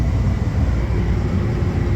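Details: Trane packaged air conditioner test run, with the R wire removed and the control board test pins shorted to start the indoor blower fan motor: a steady, even low rumble with no knock, scrape or squeal, so the blower runs normally.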